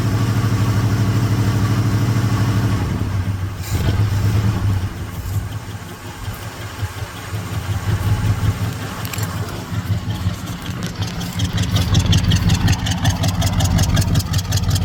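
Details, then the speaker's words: Ford big-block revival run, fed from a jug into a Holley four-barrel: deep steady V8 burble at idle, even, no knocks or misses, little puff of smoke from one side, not terrible; normal idle. "Have a little puff of smoke come out of this side. Not terrible though."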